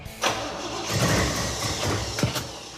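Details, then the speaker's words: Big V8 (ad said 454; appears to be a late-model GM performance crate motor) in an El Camino, first start after rebuild: it catches and runs lumpy with uneven thumps and stumbles. Ignition timing is way wrong despite a lot of advance dialed in. "Except for the timing being way wrong. It's kind of weird cuz we put a lot of advance into it, don't we?"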